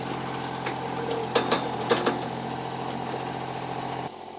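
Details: Kubota KH-10 D excavator diesel after a new starter was fitted; steady, even idle with a regular low beat and no knocks or misses; running smoothly.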